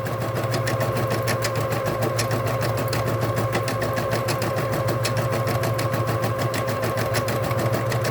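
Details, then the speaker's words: Vintage Bernina Deco650 embroidery machine stitching an applique runs quietly with fast even ticking over a soft motor hum, no grinding or clunks; stitching normally. "And then you can hear it, the machine is quiet, it runs real nice."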